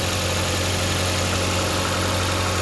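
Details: 2013 Jeep Compass that wouldn't start because fuse 23 (ASD circuit feeding coils and injectors) kept blowing from a shorted line; after repairing the short at a capacitor behind the engine: even smooth idle, constant low hum, running healthy.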